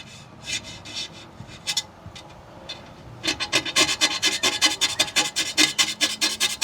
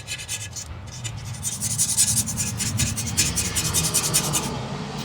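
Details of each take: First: Razor blade on a Silver Strike arcade cabinet's monitor glass after Goo Gone. Light quiet strokes on clean glass turn into loud rough rasping scrapes about twice a second at stubborn residue mid-glass, which still would not come off. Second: Razor blade scraping Goo Gone–treated glass on a Silver Strike machine: a smooth, even, hissy scrape with a steady stroke rhythm and no catching or chatter. The blade glides over clean glass, as it should sound.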